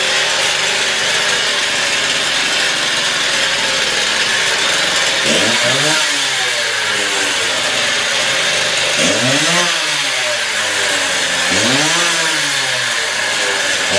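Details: Stihl TS350 cut-off saw after engine rebuild, fuel freshly mixed, choke off, old blade fitted, warming up; high buzzing two-stroke revs up and drops back in three clean blips, pulling evenly with no misfire, normal running.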